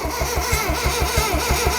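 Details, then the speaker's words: Ford Sierra Cosworth sat for 10 years, loom not yet rebuilt and no fuel lines: even, quick starter churn at about six compression pulses a second, unlabored; the engine turns over normally. "it sounds good right so Loom it's turning over"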